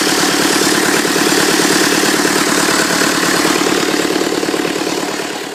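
Steady, even diesel clatter at idle, regular firing pulses around three or four a second, no knocks or misses; sounds healthy.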